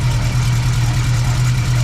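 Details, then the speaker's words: BMW E30 engine idling after header knocking was addressed: steady, even low hum with no knocking or tapping. "the geometry is always going to be the same because the engine mounts bounded to the block see now it sounds fine"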